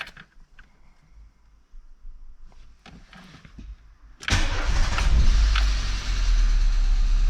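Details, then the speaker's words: 1991 Mk2 Jetta started for the first time at a viewing, in neutral with e-brake on and nearly out of fuel. Starter whirs briefly, the engine catches at once and settles into an even, steady idle; a healthy start. "Starts up no problem, seems like."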